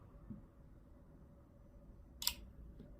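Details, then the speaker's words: Musical Fidelity A1 clone Class A stereo amplifier powering up in a quiet room: one crisp relay click, maybe a faint second, as the soft-start relays connect the speaker terminals; normal soft-start click. "and you should you should have heard that click click sound and the amplifier is ready and it can be used"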